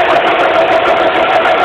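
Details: 2006 Suzuki Forenza at idle, recorded with the hood open: steady mid-pitched hum without wavering over the idle, the loud drone of a failing power steering pump.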